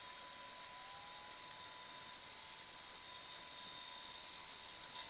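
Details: Small restored band saw after fitting DIY bearing roller guides, rear bearing lightly touching blade: steady, even hiss and whir with a couple of constant tones, no knocking; blade running truer and smoothly.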